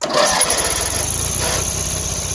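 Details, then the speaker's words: Yardman 13785L riding mower, air filter corroded, given a squirt of starting fluid with choke pulled; brief cranking catches and the small engine fires into a quick, steady popping run on the starting fluid. "so i figure why don't we go and see if we can give this a squirt right here oh that's the end of the can so hopefully that's enough"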